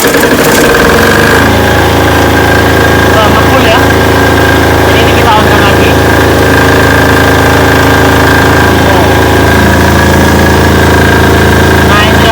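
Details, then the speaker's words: Repaired Potenza generator, custom 220 V AC, loaded with a 1,500 W heat gun and about 600 W air blower (over 2,000 W): engine holds a constant smooth drone without dipping; voltage steady at 214–216 V, normal. "Keduanya sedang berjalan sekarang, Bos. Sekarang tegangannya 216, itu bagus. Melihat? Itu normal, Bos."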